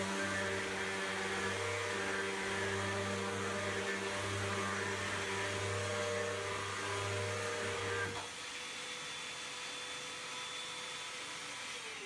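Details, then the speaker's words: Hoover vacuum run after its beater bar belt was replaced; the old belt had been dimpled by a carpet jam. Steady, even motor whir with no slapping or squeal before switching off. Normal running. "We're going to run it here in the room, make sure everything's cool, and we'll close with that."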